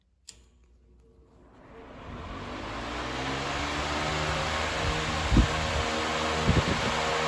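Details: 1998 Patton 20-inch high velocity fan (I-20CA, Canadian U220) after disassembly, cleaning, oiling and new feet, first run on full power: motor spools up to a steady even rush of air, no rattle or grind, very minimal shaking.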